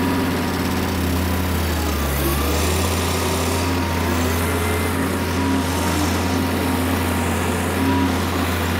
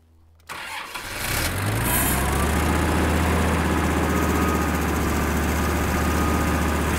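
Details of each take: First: Kubota M5700 five-cylinder diesel tractor, about 60 hp, after a stalling fix: steady, even drone with no misses or surging. The fix replaced the fuel lift pump and fuel filter, cleared a fuel-tank obstruction and blew out the lines. It then drove a steep driveway successfully. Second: Kubota M5700 five-cylinder diesel tractor (about 60 hp) after fuel lift pump replacement: cranks, catches and settles into a lumpy idle near four pulses a second. It still stalls. Fuel starvation from a blocked tank outlet is suspected.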